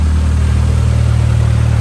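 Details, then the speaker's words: 2006-2011 Honda Civic at idle after replacing the power steering pump, which caused the earlier noise, plus an alignment: steady low engine hum, even and smooth, no whine or ringing; quiet as it should be. "nice and quiet no sounds as it should be thank goodness"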